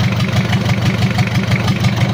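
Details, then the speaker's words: Mitsubishi L300 diesel, post-2010, first start after engine overhaul with upgraded 12 mm rotor head injection pump: low lumpy idle with stumbling uneven thumps; fuel leak causing misfire, engine shut off for repair. "di sini ada kebocoran jadi yang menyebabkan pincang itu ini Lur kita matikan dulu kemudian kita perbaiki dulu"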